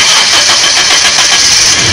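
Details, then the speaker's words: 1997 Toyota Kijang engine start after cleaning and adjusting ignition points (platina): short crank catches cleanly, settles into steady even run without misfire or stumble; healthy start. "Nah, mobil bisa dinyalakan ya, berarti selesai sudah pekerjaan kali ini."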